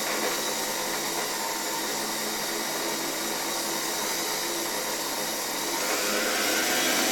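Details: Soviet "Rakieta" 7M2 vacuum cleaner (1981), MD-010 motor, after cleaning and brush refit, run on reduced voltage through a regulator: smooth, high, steady whine rising slightly near the end, no rattle or grinding; motor bearings running clean, normal running.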